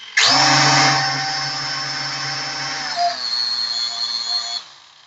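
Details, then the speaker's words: P8 Pro drone powered up with three motors spinning: one motor sounds strange after racing it. A high whine spins up then hums rough and uneven under throttle. "තව මෙන්න මේකේ ටිකක් සද්දේ අමුතුයි. මම raise කරාට පස්සේ"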